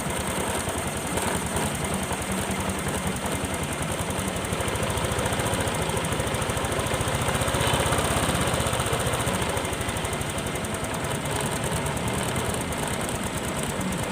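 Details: Honda Click 125 scooter with a stiff, rusty throttle that sticks, after start: engine holds a fast, busy rev that swells slightly and never settles to a normal idle; idle too high.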